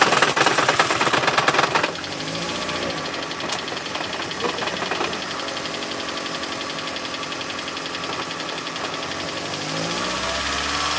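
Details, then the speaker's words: Toyota Prius on first start after head gasket replacement, engine long assembled before starting: loud fast metallic rattle for about two seconds then lighter tick, dry lifters not yet pumped up. "you're gonna hear that rattling sound you had your engine uh put together for a long period of time before you started it so the lifters didn't quite"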